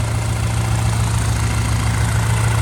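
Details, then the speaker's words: Built big-turbo B8 Audi A4 nearing operating temperature: smooth, steady idle with the scraping gone; owner thinks running it flattened the bent plate by the transmission. "so i think that problem is gone i just let it run for a little bit and the noise went away so i think it just kind of flattened that plate out a little bit"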